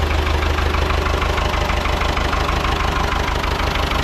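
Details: Ford 6600 diesel tractor, sitting about 8 years, just started after starting-fluid spray bursts while cranking; low on antifreeze so run briefly, some smoke. Even, steady clatter at low idle, about three firing pulses a second, no odd knocks: normal idle.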